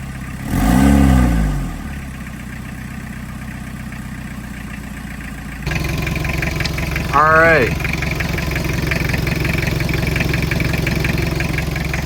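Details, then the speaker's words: 1991 Toyota Townace 2C diesel after its injection pump was resealed (old worn seals were leaking): it catches, then settles into a steady, even idle clatter after a couple of brief revs. Healthy engine. "we are running."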